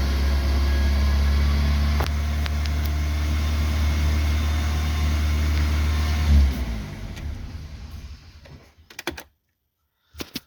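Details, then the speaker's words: BMW E36 Compact 316i 1.9 M43B19 with black, rich-mixture spark plugs, run after cleaning and reinstalling them: still misfires at low rpm and won't hold idle, a low uneven pulse stumbling as revs drop before stalling; cause not yet found. "Ahora, tras volver a instalar las bujías, vamos a comprobar qué sucede. Bueno, vemos que sigue existiendo el mismo problema."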